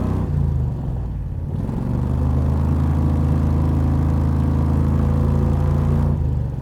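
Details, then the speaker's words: 670cc Predator-engined Renault with a manual 4-speed plus CVT drive: steady low drone whose tone shifts slightly as the CVT constantly changes ratio at low speed; normal for this car despite sounding odd. "The normal sounds that this car makes do not sound normal to the average driver, and that's because at low speeds the CVT is ratio changing all the time."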